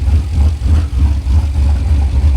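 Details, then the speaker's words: 2011 Chevy Silverado V8 after new cam install and head gasket repair: deep loping idle with uneven chop of low thumps; healthy big-cam V8, though owner wonders if a vacuum hose is missing at the throttle body. "That sounds good. That's what makes me think it's like, are we missing something on the throttle body?"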